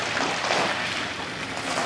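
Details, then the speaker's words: Pool system just started at season opening: wet, irregular gurgling and sputtering at the returns with no steady rhythm; air in the return lines still working out. "Now that one's gurgling. Spit now. Got a lot of air in the system to work out."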